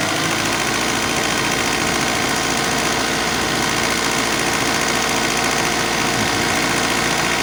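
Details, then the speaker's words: Alfa Romeo 156 Twin Spark holding about 2,000 rpm idle, down from the reported 4,000 rpm, with a loose cable letting it rise a little; steady hum well above normal with no dip. High idle from a faulty throttle-body idle regulator. "yeah well it's not not 4,000 anymore just 2,000 well we had a problem on the okay cable came loose the cable just came loose over there"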